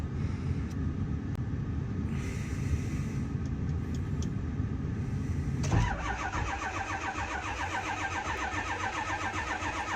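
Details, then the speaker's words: Ford 7.3 Powerstroke diesel on a cold Minnesota morning, block heater plugged in but circuit possibly not on: long, heavy, slow cranking with a tone change partway, failing to start; cause not confirmed. "that is not what you like to hear it's even plugged in assuming the plug-in is on sometimes it breaks the circuit without realizing it"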